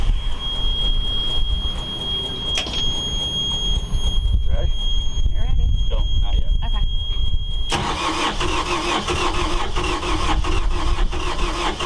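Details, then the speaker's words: Yanmar 4JH4E marine diesel in a sailboat, unstarted for 10+ years since 2006, cranked with stop held to build oil pressure, then fires first try into a steady, even diesel run; good oil pressure, healthy first start. "It actually started. It sounds good. Oil pressure is good."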